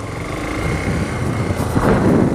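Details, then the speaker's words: JF300 motorcycle riding away after refitting the loose chain-adjuster cover, which had been rubbing near the chain and sprocket: a steady single-cylinder engine with light wind and no rattle; the noise has stopped. "Bora ao que agora parou o barulho capinha ali tava solto a capinha"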